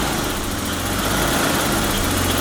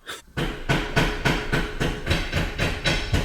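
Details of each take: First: BMW E34 barn find, sat 10 years, first start after a week of diagnosis: quiet, settled idle with a steady low hum, no stumbles or knocks, no smoke. Normal idle. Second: BMW E34 barn find, sat 10 years: dragging, uneven crank at about three and a half turns a second that never catches. Owner says the starter is begging for help and jiggles the battery connection; weak starter or battery suspected.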